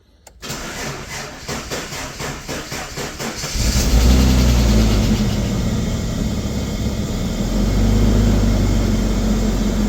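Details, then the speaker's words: Ford Falcon XR6, first start since brake work: starter drags slowly and unevenly, about four labored turns a second for three seconds, before firing; weak battery. "Oh, battery wasn't happy."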